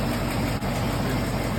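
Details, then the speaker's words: V8 idle after swapping new 1.6 ratio rocker arms back to stock 1.5 rockers: steady low rumble with no ticking; the driver's-side lifter tick is gone. "yeah look at that that lifter tick is gone with 1.5 rockers"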